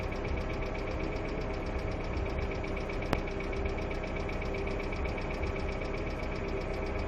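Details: Hyundai Accent II at idle: quick, light, steady ticking that keeps pace with engine speed, from clattering hydraulic lifters.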